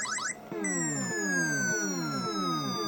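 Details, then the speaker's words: Galaxian arcade PCB after a cap kit and a homemade adapter: repeating falling electronic sweeps about four a second, running too high in pitch when player one start is pressed. This was later fixed by replacing the 4066 chip at 7R. "I think they're off when I hit player one start. Seems like a little too high pitched."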